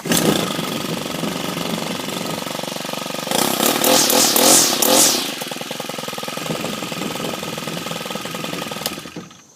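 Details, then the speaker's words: FS 90 R two-stroke, cold start on the first pull: high buzz catches at once, revs briefly for about two seconds, then settles to a steady, even idle. Normal cold start and idle. "It's that simple, first pull. When I refill it with gas and it runs out, I'll normally prime it just to get some gas going back through it so it'll start right back up."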